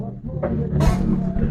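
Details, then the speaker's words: Duraware DR 231M subwoofer after repair of a no-sound fault, with temporary makeshift wiring; deep bass and music play cleanly at full level with no crackle or dropouts; speaker output normal. "you can hear the sound [Music] our speaker is working I can hear the sound"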